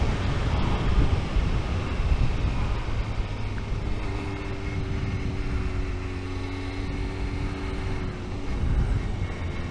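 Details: 1998 Honda CBR600F running: a high-pitched whine rides over the new exhaust, rising and falling with revs, present as long as the owner remembers; no other known problems and bearings seem OK; cause unknown.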